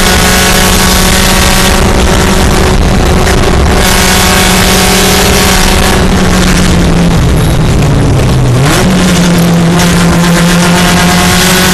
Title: Pumpkin Race 1:19 w/misfire